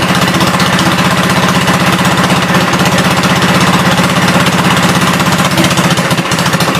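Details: 1972 Gravely 430 single-cylinder tractor engine running normally after fuel system restored up to the carburetor (small drip at fuel pump inlet): steady, even chuff about three beats a second, no knocks or rattles; high-low axle works, moves forwards and backwards.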